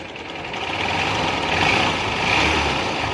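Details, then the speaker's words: Supremo that became very noisy at start-up right after an oil change: a loud, uneven metallic clatter sits over the idle and never settles. Cause was a soft, weak cam chain tensioner. "Nag-change oil daw si sir, ngayon pag-andar hindi natunog. Pakinggan natin. Napakaingay,"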